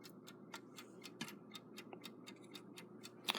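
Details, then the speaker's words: 1935 Westclox Big Ben Chime Alarm style 4 movement during rebuild reassembly, running propped on a drawer: quick ticking about four a second, tick and tock unevenly spaced and limping; clock running out of beat. "as I listen to this run it's on this little table well this little drawer here to hold it up sounds like it's out of beat which is very annoying"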